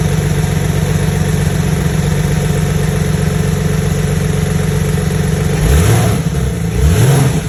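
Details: Porsche 991.1 flat-six with cylinder misfire, code P0301: uneven lumpy idle with occasional stumbles, then two quick revs; one cylinder dropping out.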